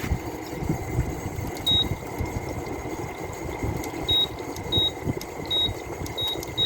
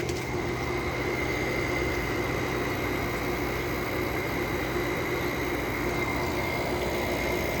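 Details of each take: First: Small low-end Fedders window air conditioner, first test after reassembly, front grill off: fan spins up fast with rough noisy rush over a steady hum, plus short high control beeps; owner thinks fan motor may need replacing. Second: Small low-end Fedders window air conditioner with Samsung rotary compressor, outlet air 45 degrees and dropping: even, steady hum with constant pitch and no knocks; compressor runs very smoothly, normal.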